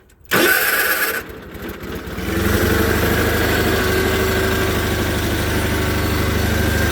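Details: John Deere 318 with Onan B43G twin, previously running rough, after a full tune-up with OEM points and condenser, plugs, wires, filters, oil and timing: starter whirrs, then it settles into a steady, even low thrum, running healthy.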